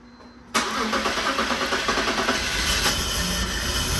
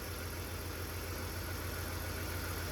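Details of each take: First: 2003 BMW 325xi (E46), first start about 15 minutes after installing a new fuel injector: the engine catches into an uneven, lumpy, ragged idle. Owner suspects the airflow sensor is acting up. Rough running. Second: 2003 BMW 325xi (E46) after replacing cylinder 1 fuel injector: quiet, even idle with a steady low hum, no stumbles or ticking once settled; normal idle.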